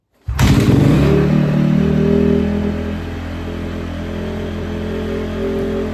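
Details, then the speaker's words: Freshly rebuilt 2009 Honda CRF250R, zero hours, first start after motor rebuild with fuel and choke on: catches first kick, revs crisply, then settles to steady even idle with no knocks; healthy. "look guys literally brand new motor fresh everything first start and it started right up guys"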